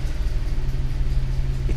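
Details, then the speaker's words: Toyota 3VZ-E 3.0 V6 in a 1988 4Runner, warm idle after idle air control valve fix, slow deep steady rumble at about 650 rpm, too low versus proper 800–850 rpm. "at like 650 rpm so believe it or not it's idling too low now"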